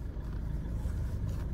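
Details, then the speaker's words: Ford Fiesta 1.4 TDCi after a major service, engine cool: low, steady engine hum while the steering wheel is turned, with no power steering pump whine. The steering wheel vibrates when turned, especially to the right. "Şimdi direksiyonu çevireceğim. Bakın hiçbir şekilde ağlama sesi yok."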